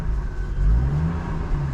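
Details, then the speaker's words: GMC after repair, no check-engine light: short light throttle blips give a deep, smooth exhaust note that rises and settles cleanly with no rattle or drone; sounds much better than before, healthy. "Matthew wants to rev it so we can listen to it not be off yeah see that sounds so much better"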